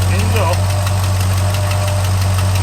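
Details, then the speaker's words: 1963 Ford Galaxie revived after years sitting: heavy V8 idle with a quick, sharp tick in step with the engine from a header leak on one side. "Got one header leak on this side."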